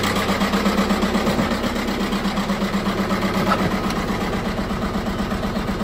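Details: VW 1.9 TDI 105 hp diesel at idle, before repair: uneven, lumpy beat about four times a second, one cylinder dead because injector 3 gets no power through a damaged harness connector.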